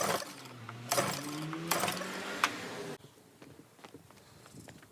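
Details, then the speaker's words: Troy-Bilt pressure washer, Briggs & Stratton engine stored over winter with fuel, carburetor suspected varnished and plugged, water hooked up: pull-cord pulls about once a second with brief whirring spin, never catches; no start, carburetor later replaced. "so um all right so after trying to get it started decided that it'd probably be a good idea to replace the carburetor"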